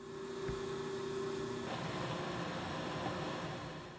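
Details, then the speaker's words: Motor just reinstalled and rewired on a Kearney & Trecker 2HL mill, run from a phase converter after reversing two wires to fix rotation, now counterclockwise: smooth even hum and steady whir, no knocks, grinding or surging; normal, bearings to get more grease. "i'm so far really happy with how this is sounding and working"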